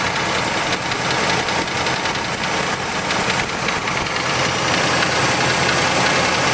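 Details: 1971 Trans Am H/O 455 V8 idling with a sharp knock riding steadily on every few firing pulses, hard to pin down under the busy top-end noise; engine knock at idle.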